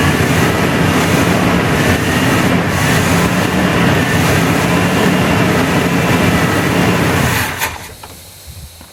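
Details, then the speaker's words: 1981 GM square body V8 after 25 years sitting, fixed by replacing the firewall fusible link, fed from a fuel reservoir: steady, even rumble with no knocks or ticks before dropping away; normal running. "Well, it does run. It runs pretty good, I think. Not a lot of noises, so think we're going to call that good."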